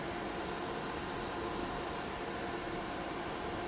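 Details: DIY 3D-printed soldering smoke absorber with 12 V 120x25 mm fan and PWM speed controller, run at maximum power: even, steady rushing air, no rattle, tick or pulsing; fan healthy.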